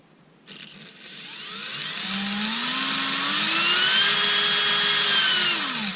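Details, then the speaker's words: Erbauer 18V brushless drill on a generic AliExpress replacement driver board, wires joined together and connected: motor whine climbs smoothly as the trigger is squeezed, holds, then eases down; variable speed finally works. "And we've got variables B. Look at that. That's about as fast as I walk."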